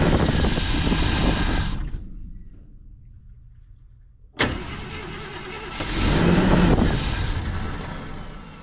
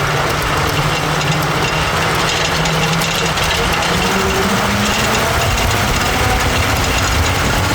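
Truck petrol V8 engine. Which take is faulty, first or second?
first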